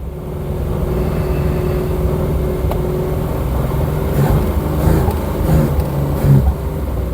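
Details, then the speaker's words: 1972 Triumph 2000 Mk2 2.0L inline-six, barn find after 20 years, runs roughly on choke and stumbles and dies when the choke is pushed in; fuel mixture problem suspected. "Okay, so if I put the choke back in, it's dying."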